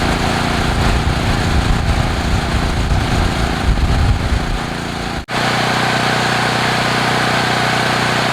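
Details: Generac generator (36.8 hours) finally starting after about 25 recoil pulls on choke: a rough, uneven roar, then a steady, even hum at one speed, running fine once started.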